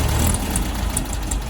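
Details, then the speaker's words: Old VW Beetle engine, low uneven chugging that sags and nearly stalls when the throttle opens before picking up; throttle flat spot stumble. "so when i hit the accelerator you can hear there's a bit of a flat spot so that's what happens when as soon as you hit the gas basically the engine stumbles for a little bit before it picks up"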